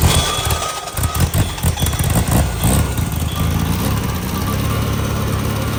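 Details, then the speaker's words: VW Type 3 air-cooled flat-four, first start on fuel fed into carb: fires and settles into steady, even low idle, no knocks or misses; sounds healthy, flywheel still slightly self-clearancing. "ha yeah buddy yeah so good it sounds so good so good oh man flywheel is still self clearanced a little you can hear it"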